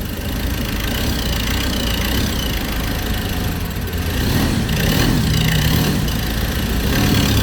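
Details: Ford Ranger diesel, 300,000+ km, starting then stalling, CKP and CMP sensors replaced, fuel bled, restarted with throttle held: steady, even diesel clatter settling at idle without hunting or stumbling; normal idle.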